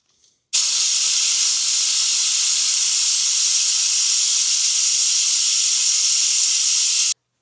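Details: Classic Honda CB750 front brakes, brake fluid change with a new vacuum bleeder device at the caliper bleed nipple: steady, even high-pitched air hiss that starts and stops cleanly, no sputter or surging; bleeder drawing normally; normal operation.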